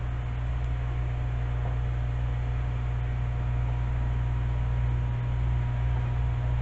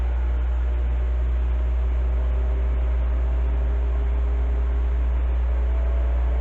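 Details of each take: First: Heathkit SB-1000 amplifier, variac wound up with tube installed and low-amp variac fuse: steady low mains hum thickening with voltage; transformer loading supply hard, then variac fuse blew. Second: Heathkit SB-1000 amplifier powered up via variac, tube removed, fuses and switch bypassed: steady low hum with even fan whir, no rattles, scraping or speed wobble; cooling fan running normally.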